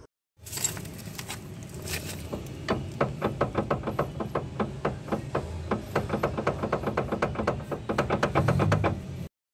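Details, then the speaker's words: Car front suspension, wheel rocked left-right by hand: rapid hollow clunks about four a second; up-down play fine, so wheel bearing and ball joint are okay, while side play points to worn tie rod, long tie rod and steering rack bushing. "Jadi ini saat digoyang setirnya ini kan langsung ketemu dengan teror dan long tierod"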